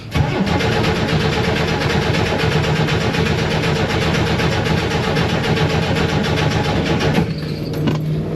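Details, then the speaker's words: Vehicle towed in after running out of gas, cranked on a jump starter to draw fuel through an eight-foot line from front tank to rear engine: starter churns at a steady even beat without firing, fuel starvation no-start. "cuz it ran out of gas and was towed in for a no start so now I have to crank it to get gas from the fuel tank in the front to the engine in the back"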